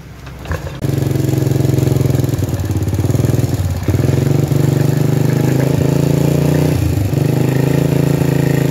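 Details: Honda Supra Fit single, rebuilt about two weeks ago, whose oil wasn't rising to the valves; running after the oil pump was replaced with a new one and oil now reaches fully: steady even putter with brief dips, no knocking; normal idle.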